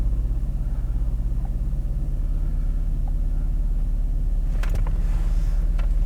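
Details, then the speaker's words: 2016 Ford 1.6L EcoBoost GDI, new injectors and high-pressure pump 3 months ago, during a scan-tool misfire test: deep idle rumble with uneven loping pulse three or four times a second; heavy miss, cylinders two and three low, from improperly seated coil boots. "all right let's see what the misfire test does that's bad miss i feel it right off the bat it's pretty heavy"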